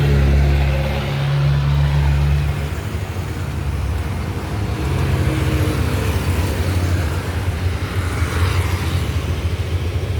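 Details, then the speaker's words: Yamaha Lexi single-cylinder scooter idling after repair of a no-start complaint: a low, soft, even hum with no knocks or rattles. Quiet, normal idle, inaudible from a distance. "อ่าเครื่องเงียบๆประมาณนี้เลยถ้าอยู่ไกลๆไม่ได้ยินเลยอันนี้สตาร์ทอยู่นะครับ"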